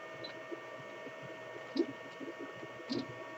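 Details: Anycubic Chiron 3D printer with dual 40mm fans on a Bantam mount, fan speed turned down from 100% to 50%: a faint, steady whir with light clicks as the fans spin smoothly. Fan running normally.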